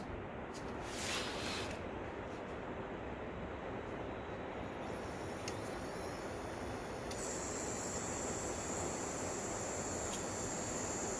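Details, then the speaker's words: Sim2 HT300E projector that shows a green picture then shuts down, warming up with a steady airy whir plus a thin high whine; the colour wheel was first suspected, now failing capacitors, while the upper fan runs fine. Noisy whirring during warm-up. "Boy, that's a noisy color wheel. Maybe that's not the color wheel making that noise. It sounded like it was coming from in there. I bet we have some bad capacitors or failing capacitors."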